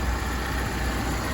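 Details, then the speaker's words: BMW E36 drift car, start after sitting a long period, system may need bleeding; low even idle with steady rumble, no misses, knocks or hiss; normal idle. "obviously our little socket she does sound so good"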